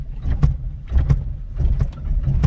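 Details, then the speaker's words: Alto, engine mounting check by jerking the car in reverse: deep engine rumble surging in short bursts, no metallic clunk, mounts OK. "यह देखिए इसकी mounting okay है"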